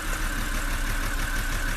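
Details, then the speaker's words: 2007 BMW 325i E90 petrol engine idling, heard at the exhaust, already misfiring, with an ignition coil unplugged for diagnosis: uneven, lumpy, stumbling beat on one cylinder fewer; rough idle from a dead cylinder. "So it's already still misfiring, but the owner went to AutoZone to get some more ignition coils so we can replace them."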